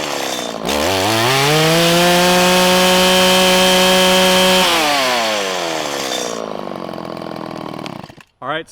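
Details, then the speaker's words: 1997 Stihl Pro Series FS two-stroke trimmer after tuning: the low-speed screw was enriched about 1/16 turn. The engine snaps up quickly from idle to a steady high whine and falls back smoothly, giving a normal, crisp throttle response. The high side was still four-stroking. "in this case it wanted a little bit more fuel i enriched it about a sixteenth of a turn and we returned back to a nice quick ramp up off throttle"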